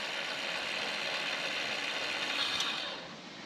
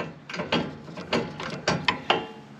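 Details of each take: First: Walker zero-turn mower implement-mount linear actuator: quiet, even high-pitched motor whir with no knocking or grinding, stopping cleanly; this unit works and runs nice and quiet. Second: Walker zero-turn mower implement-mount linear actuator: irregular ratcheting clunks over a strained whir; ball screw balls believed worn out ("toast"), the actuator rather than the motor at fault.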